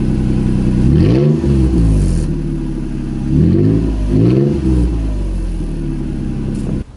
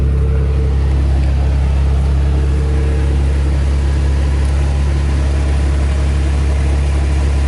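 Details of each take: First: 2nd-gen Toyota Tacoma revved with the exhaust completely unbolted at the cat pipe joint: loud, raw, throaty, unmuffled blips rise and fall with each rev; exhaust disconnected at the joint. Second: 2nd-gen Toyota Tacoma after an exhaust leak and rattle repair with spacers fitted on both sides, not yet warmed up: steady, deep idle with an even exhaust note and no ticking or puffing; leak sealed.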